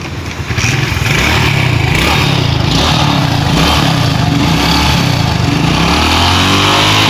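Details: Honda Pop 110i after the failed camshaft bearing and cam tensioner kit were replaced: a steady, even low beat at idle with a crisp exhaust and no knocking or ticking; engine sounds healthy.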